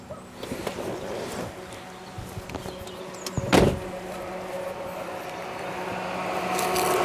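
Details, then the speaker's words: Rover CityRover (Tata Indica), £200 car, back from a long drive with the temperature gauge on cold: a quiet car with a steady fan whoosh and faint hum as the cooling fan runs constantly, engine barely ticking over. "Okay, that's peculiar. I'm not sure it was doing that at the start of the journey. Why is the cooling fan running constantly?"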